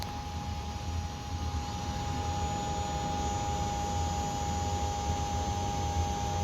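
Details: Toyota FJ62 Land Cruiser with restored fuel tank and modified T100 in-tank pump, before first start: faint steady mid-pitched hum of the fuel pump running smoothly, no leaks now.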